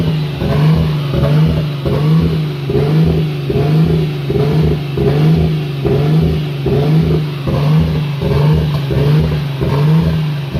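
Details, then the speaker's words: Nissan RB25 NEO engine at idle: note rises and falls about once a second, never settling; idle surge, owner suspects an air leak with ECU cutting spark to pull revs down. "So what you guys just saw would be me searching for the air leak that's on here, causing it to surge like that at idle. So it surges up, and then the ECU probably cuts spark to drop it back down, but then it surges back up again."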